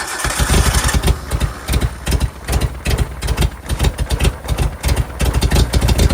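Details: 1988 Suzuki Samurai parked since the late 1990s, started on a hanging gravity-fed tank: cranks, catches and runs with strong, slightly uneven low thumps settling into a steady idle; healthy start.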